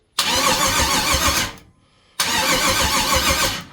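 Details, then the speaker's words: Twin-turbo LS-swapped Chevy S10 project, long unstarted, cranked on a boost pack because the old takeout battery is weak, not set up to fire: two even, steady cranking bursts of about 1.4 seconds, no knocks or grinding; engine turns over healthily. "we get a little fuel to this Joker she going to fire up I know man sounds healthy as [ __ ] damn"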